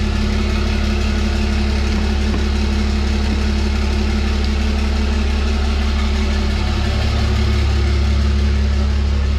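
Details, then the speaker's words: 1000hp Cummins 6.7 drag race truck build, first start on a new fuel cell: deep, steady diesel rumble that settles straight into an even idle with no stumble, knock or hunting. It started quicker than expected, with fuel returning to the tank and no leaks. "Oh guys I am ecstatic the truck started right up a lot quicker than I ever anticipated"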